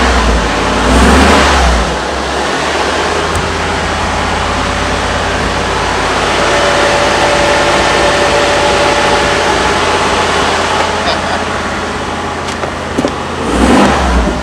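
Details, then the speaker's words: 1984 V8 being revved, either the Rolls-Royce Spirit 6.7L or the Mercedes 500SL 5L, after asking whether cylinders came back online: a smooth full rise and fall of revs, even note, no misfire or knock, sounds okay. Normal revving. "actually it doesn't sound too bad yeah that sounds it sounds okay"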